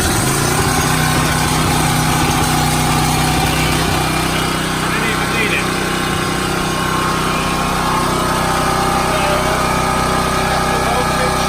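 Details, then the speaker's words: Champion 3800 W dual-fuel 224cc generator at its monthly start, using half choke, running normally; steady, even single-cylinder drone with no surging or hunting, much quieter than the owner's old one. "But it works well. It's actually, even though it sounds noisy, it's actually quite quiet. It is much quieter than our old one."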